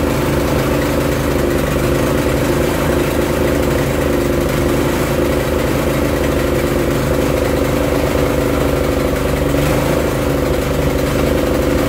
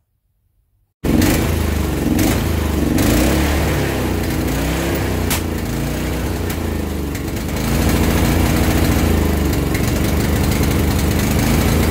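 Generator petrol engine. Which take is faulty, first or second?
second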